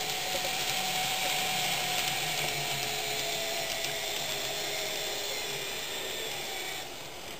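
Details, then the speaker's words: Fox Valley Models N-scale GP60m locomotives (B unit and trailing A unit), not fixed by break-in: a steady high whir at normal road speed that fades away when slowed to a creep; bearing noise. "And you can hear that bearing noise. If I slow it down, you'll hear that bearing noise begin to go away."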